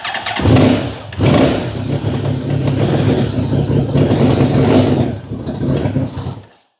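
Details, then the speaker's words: Honda VFR1200F motorcycle, low on fuel, running on jump cables: lumpy, stumbling misfire and unsteady blips before cutting out; it won't idle or rev smoothly below 4,000 rpm. "Definitely still misfiring. I need more fuel."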